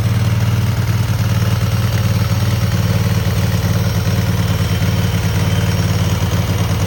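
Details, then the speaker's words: Cub Cadet garden tractor twin with new spark plugs and an uncleaned carburetor, choke frozen; has a gas leak. A deep, even thrum with a steady beat and no knocks or misses: running smoothly. "I've already had it running. This is a pretty smooth motor."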